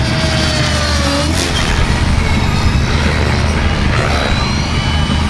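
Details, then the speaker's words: Align Trex 550/600 electric RC helicopter after one-way bearing adjustment: smooth steady rotor and motor whine easing as it comes in to land after full-throttle flying, no catching or rattle; drivetrain smooth, bearing not locking. "now come in and land and you could obviously you'll be able to see the drive train is like smooth as butter"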